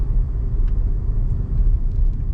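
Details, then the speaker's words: 2015 Toyota Corolla road test after front brake pad replacement: only a steady low road rumble, with the earlier brake noise gone and no squeal or grinding; quiet brakes. "oh yeah thousand times better guys if you remember if you heard the um sound from the brakes listen quiet as can"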